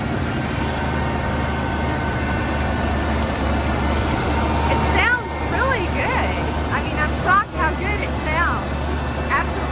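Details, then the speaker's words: 1980 Ford F100 idling just after its first start in 20 years, mystery oil burning out of the cylinders, oil light out: steady, even low rumble with no knocks or ticks; normal idle. "the mystery oil is burning out of the cylinders that's fine"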